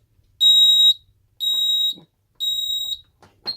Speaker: And you can hear it again doing the temporal 3 beeping because this keypad was designed before the temporal 4 tone for carbon monoxide alarms became standard.